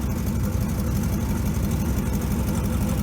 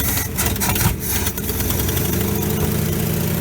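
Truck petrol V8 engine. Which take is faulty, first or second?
second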